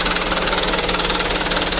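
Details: Mitsubishi Canter diesel truck after injection pump plunger replacement, first start: fast, steady clatter at idle with a slightly uneven pulse; plungers being adjusted one step at a time to get a stable idle. Rough idle.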